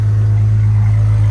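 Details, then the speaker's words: Jeep WJ 4.0 inline-six after throttle body shaft air-leak repair with A012 O-ring for P0171 and new exhaust from catalytic converter back: deep, steady, even exhaust drone with no misses, ticks or knocks; check engine light off, healthy idle. "all right it sounds good and engine light did go off give this a second to to run for a few minutes you can hear it"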